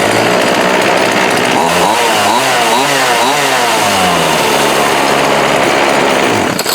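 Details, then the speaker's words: Homelite D3850B 18" chainsaw restarted after a new carburetor, gaskets, fuel lines, filter and plug, with the cover and air filter still off: a sharp two-stroke buzz with quick blips holds a steady high rev. Normal running. "Yeah, man, made a world of difference."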